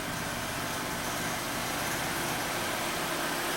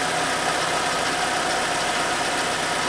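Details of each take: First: 2011 Citroën C4 1.6 16V, 68,000 km: engine noise and clutch pedal shudder when pressed; even idle, then a steady low hum for several seconds that drops away; diagnosed worn clutch kit needing replacement. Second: 2011 Citroën C4 1.6 16V hatch, after the clutch kit replacement: steady, even idle hum with a faint high whine and no knocks, rattles or clutch chatter; idling cleanly.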